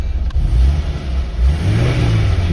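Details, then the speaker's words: Porsche 924 engine warm, after repeated hot and cold starts, following distributor ignition impulse sender fix for hot start issue: runs evenly and picks up cleanly on throttle blips; small coolant leak noted. "responding really nicely to the throttle. I think I fixed my problem."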